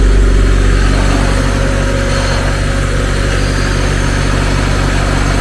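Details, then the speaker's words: Supercharged Mazda MX5 four-cylinder just after an ECU upgrade and rewiring, running on its own with a slightly lumpy idle and steady low drone; needed a little more air, cranking fuel probably still needs adjusting. "i needed to give it a little bit more air that's not too bad it's running though"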